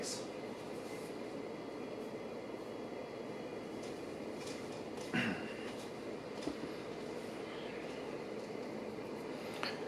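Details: A 1984 Casablanca Four Seasons Low Ceiling Series ceiling fan at high speed gives a steady, gritty rumbling whirr from worn motor bearings.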